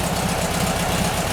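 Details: VW Bus engine just reassembled after valve adjustment on one side, started cold on choke: steady, even idle with a soft regular pulse, slightly raised speed, no knocks or ticks; a loose belt flaps a little; engine sounds healthy.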